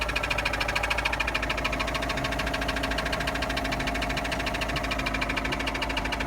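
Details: With the drive removed, sharp regular knocking about three per second starts after running 2–3 minutes, with none before that; the source is unknown.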